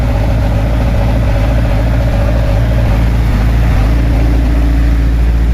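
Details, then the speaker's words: 42 kVA silent diesel genset under about 20 A load from 8 broiler-house blowers and feed motor, three-phase voltage near 383 V, down about 2 V: deep steady drone at even pitch, no hunting or knocking; normal running under load. "Nah ini genset silent ya. Bunyinya masih belum terlalu berat ya kawan-kawan ya. Masih biasa aja."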